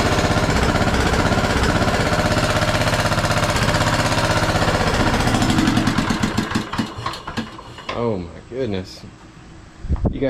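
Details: Craftsman T1200 riding mower, single-cylinder engine first run on old gas after new plug: hard uneven chugging about four beats a second, then stumbles and dies; compression seems very high, owner suspects tight valves causing rough running.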